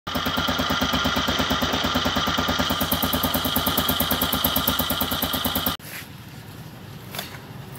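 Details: Suzuki Spin idling after about a month on Kixx 10W-30 oil, recorded after driving to destination: even, steady putter, regular beat, no knocks or rattles until shut off; smoother than idle before the trip; healthy.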